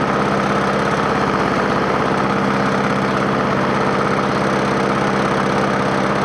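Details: Free scrapyard push mower with a 4.5 hp engine, after the carburetor was refitted: single cylinder firing fast and even at constant speed, no surging or sputter; runs properly.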